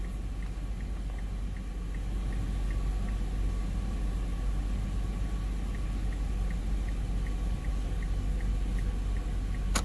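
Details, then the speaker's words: 2007 Hyundai Veracruz after swapping in salvage yard BCM (part 95400-3J400) for no lights/blinkers issue: crisp, even flasher clicks about four per second over low idle; turn signals now audible and working. "And what's cool is now our blinkers make a noise. Before, earlier in this video, they didn't."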